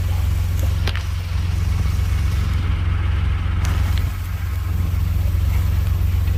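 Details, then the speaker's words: 2016 Ford Expedition at idle, heard with windows down, giving sharp metal-on-metal pops when shifted between drive and reverse; knock somewhere in mounts or frame, cause not yet confirmed. "en i put it in reverse and drive it makes a popping sound and uh i need to get up under here and try to figure out exactly where the sound is coming from"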